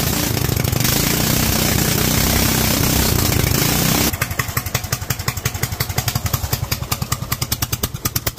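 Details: Kohler single-cylinder engine fitted with a Honda carburetor, being rejetted: idles happily but screams flat and hard at the top end, then drops to uneven popping chuffs as it slows; running very lean at high rpm.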